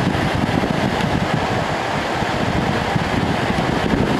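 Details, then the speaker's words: 1988 Fedders Cool Tote Slim 5000 BTU air conditioner, Korean-made, fan switched to high: steady, even strong rush of air with low hum, no rattles or scraping; really strong, healthy blower. "Wow, it's really got a strong fan. Really strong fan."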